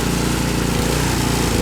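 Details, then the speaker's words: Ariens Deluxe 28-inch snow blower, gravity-fed, fuel cutoff switched off to empty the carburetor for storage: loud small engine chugging unevenly with frequent dips and stumbles as the carburetor runs dry; rough running from fuel starvation. "It just means that the carburetor is going to get a little low. It's going to run rough. Like it'll die. You hear it running rough?"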